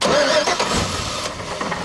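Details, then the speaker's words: Off-road 4x4 on a Washington trail trip, cranking while a firewall fuel pressure gauge is watched: short starter burst that never catches; gauge reads 0 while cranking, spiking briefly at shutoff then dropping back to 0. "It's at 0. Yeah, and then when you shut it off, it kind of spikes for a second, but then it drops back down to 0."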